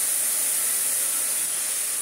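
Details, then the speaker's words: Vorwerk Kobold VK150 vacuum, bought cheap secondhand, running on minimum with hose only; strong rushing suction hiss with steady piercing high whistle from a very noisy bleed valve, suction powerful and healthy. "has a very noisy bleed valve but even on minimum that's pretty dang cool"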